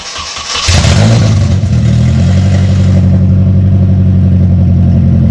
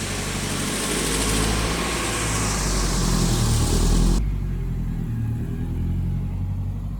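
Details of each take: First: 1974 Datsun 620 truck with KA24DE swap from a 1997 Nissan 240SX, before the new exhaust: cranks and catches, then a deep, harsh, very loud unmuffled drone at fast idle. Excessively loud straight-piped exhaust. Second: 1974 Datsun 620 truck with swapped-in KA24DE from a 1997 Nissan 240SX, after fitting a new custom exhaust replacing straight pipe: deep, steady, subdued low burble at idle, no harsh rasp or drone. Normal idle.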